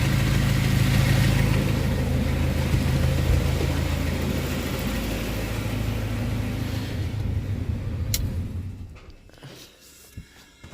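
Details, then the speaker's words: Honda Prelude SH, jacked up, running in gear: deep, steady droning rumble that fades when switched off in gear; worn wheel bearing screaming, leaking ATTS unit also suspected before bearing and lower ball joint replacement. "go ahead and turn it off it's just wheel bearing a screaming right here"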